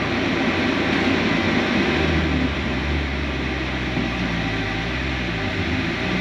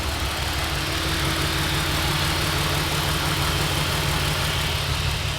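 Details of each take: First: Mercedes SLK320 supercharged on test drive after new coil wire and spark plugs fixed an immediate misfire: engine drone climbs smoothly under load, loud but no stumble, popping or misfire; normal acceleration. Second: Supercharged Mercedes SLK320 petrol engine at idle after hard pulls, rough uneven stumbling beat; scanner shows cylinder 5 misfire codes.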